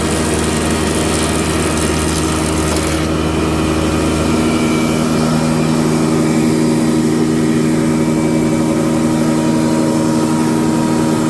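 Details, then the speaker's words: Krasny Metallist SR6-10 thickness planer, 600–630 mm width, three motors (main, lift, feed), feed 8–16 m/min, after restoration repair May 2021: steady, even hum from motors and cutter, no knocks or rubbing; normal running. "Две скорости подачи 8-16 метров в минуту. Показываем станок в работе."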